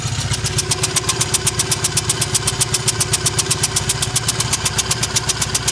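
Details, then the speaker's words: Triumph Bonneville twin, just restarted after owner's own repair and fresh oil: loping idle with sharp exhaust pops about four per second, uneven between cylinders, one side misfiring; owner suspects a loose right-side spark plug. "right side spark plug not sounding good i'm hoping i'm thinking maybe i just didn't tighten it"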